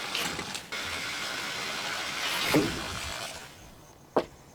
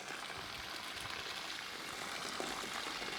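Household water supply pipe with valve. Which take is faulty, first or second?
second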